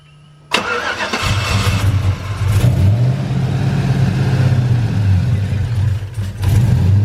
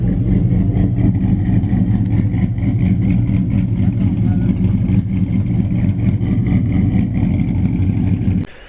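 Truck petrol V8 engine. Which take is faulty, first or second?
first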